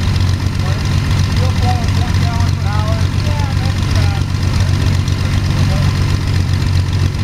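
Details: Sonex homebuilt aircraft, Jabiru 3300 six-cylinder engine with Rotec TBI, about 50 hours, first engine start after throttle set a quarter inch and mixture full rich; oil pressure 42, EGTs 700-800F; steady even low idle, no knocks or misses, sounds really good.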